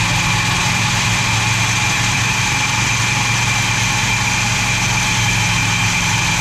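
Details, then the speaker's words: Chrysler 440 big block V8 from a 1974 New Yorker, revived after sitting, started by filling float bowl, carburetor poor and vacuum leak present; strong even idle with steady low rumble, no knocks; normal running. "Although that thing sounds strong. That carburetor sucks."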